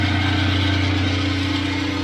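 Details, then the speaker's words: Oven's top-rear cooling fan: steady low motor hum with a constant buzzy rattle; banging the oven makes it judder or stop, so owner is sure it's the cooling fan and suspects worn motor bearings needing a new motor; cooling fan rattle. "I also know that it is the cooling fan because if I give it the old college bang it sometimes stops like it judders so it's definitely the cooling fan"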